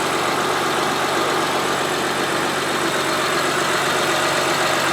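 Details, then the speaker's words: Honda Pilot after replacing a failed fuel injector with an OEM part, checked for leaks: smooth, even idle with a steady hum and no misses; sounds great, only a couple of misfire counts after the repair. "a big nose I don't smell nothing but it sounds great so smooth back here"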